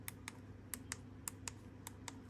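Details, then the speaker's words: Jaguar X-Type key fob after replacing worn rubber button membrane and internal microswitches, new battery fitted: crisp separate clean clicks about three a second in a quiet room; buttons working properly. "Plug that in there, and oh yeah, those are working nice."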